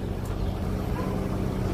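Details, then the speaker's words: Aircon outdoor unit after cleaning and reassembly, previously very noisy: now a steady, even low hum with a soft tone, no rattles; running quietly and normally. "wala na po po kayo masyadong naririnig"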